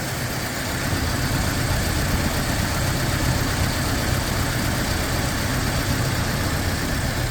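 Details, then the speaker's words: Toyota Fortuner petrol (possibly 2TR) with LPG, running on petrol, exhaust listened to: uneven, lumpy popping with irregular stumble, no warning light; cylinder 2 misfiring from rat-chewed injector wiring. "ปั่นจัดเลยอ่ะเดี๋ยวลองเร่งดูปล่อยรูปเครื่องไม่โชว์ด้วยแตะสะดุดเลยครับสะดุดจัดเลยอันนี้น้ำมันนะฟังเสียงท่อกันป๊อกๆๆเลยอ่ะ"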